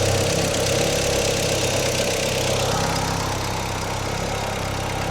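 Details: Audi former autocross car, first run after sitting for years: idle hunts and wavers unevenly, never settling, with bad-smelling exhaust; rough idle, owner suspects old gas still working through the system.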